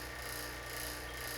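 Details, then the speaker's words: Vacuum pump on refrigerator system before charging: steady, even, deep hum with no gurgle (gurgle would suggest a hose leak); normal deep vacuum reached. "sounds pretty deep doesn't it yeah"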